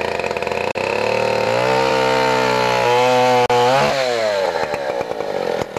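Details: 1959 Stihl Contra (Lightning) 106cc 6HP two-stroke chainsaw, mint collector saw with Tillotson HL112C carburetor, running after startup: loud steady buzz rising and falling smoothly with throttle, no misfire or rattle; runs healthy.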